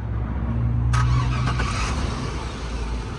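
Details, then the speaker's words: Car jump-started with a portable jump starter after cranking: short crank, engine catches at once and settles into a steady idle over street traffic; clean, healthy start. "he started right up and it dropped down to 90."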